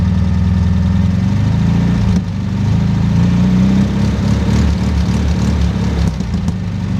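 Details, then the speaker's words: 1969 VW Bug air-cooled engine after fitting a homemade Bosch 009/034 SVDA distributor, idle set: low, lumpy idle with uneven beat and slight hunting; runs rough, owner believes engine needs rebuild or refresh. "it's running rough the engine needs to rebuild but at least a refresh but I like it so I'll start it up and let you hear what I hear"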